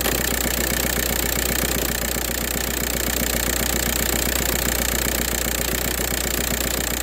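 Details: 2004 VW Jetta TDI diesel with a morning no-start problem unless WD-40 is used: even clatter at about four beats a second holds steady, a normal idle once the engine has caught.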